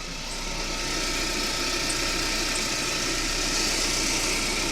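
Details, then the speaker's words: Car at quiet, even idle: steady high whistle, owner suspects the timing belt or alternator belt, possibly a new tensioner bedding in; also an unexplained rattle under the car; source unconfirmed. "не знаю что свистит но мне кажется свистит либо ГРМ либо ременьгенератор"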